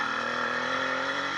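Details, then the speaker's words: 80cc motorized bicycle two-stroke with new piston, unbroken-in rings and an upgraded wrist pin needle bearing, accelerating uphill at about 26-28 mph. Steady, clean buzz with no knocking and the earlier pinging gone. Normal running. "and you can hear the motor sounds really really well i haven't done anything other than that and put that new piston in and we're accelerating going up the hill"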